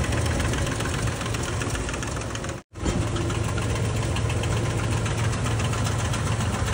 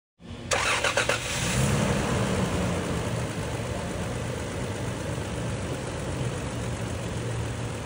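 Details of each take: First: Toyota Land Cruiser V6 at idle; rapid, uneven knocking rides over a steady idle and follows engine speed, from worn, rubbing cam gears in the top end with carbon buildup found inside: camshaft gear knock. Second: Toyota Land Cruiser V6 after repair of engine noise caused by a broken oil-gallery part feeding the camshaft: engine cranks, catches quickly, flares briefly, settles into smooth even idle with no knocking; normal running.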